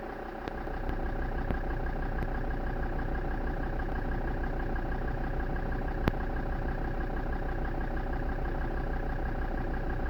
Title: defender td5 rough idle